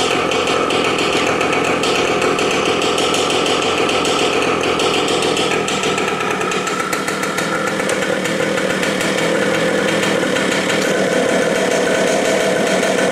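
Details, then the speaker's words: 18-year-old Yamaha RT100 two-stroke, exhaust test after cold start: loud, crackling two-stroke running fast and fairly even with open exhaust rasp, no misfire or knock; normal running. "Anyway, that's how I like it, the sound. As you can see, you can tell the difference, can't you? That little muffler makes a little bit of a difference."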